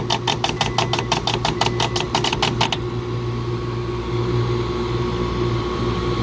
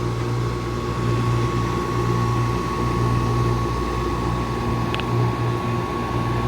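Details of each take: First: Two-stage Carrier R-410A package AC unit, not cooling on a 90°F+ day: rapid buzzy contactor chatter about six per second over hum, then stops; blamed on a faulty pressure switch, compressor went out on overload. Both refrigerant circuits had major restrictions. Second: Two-stage Carrier package AC unit not cooling, while tracing contactor chatter through series pressure switches: compressor runs with steady low hum and even whine, no rattles; sounds good. Pressure switches suspected; major restrictions found in both refrigerant circuits.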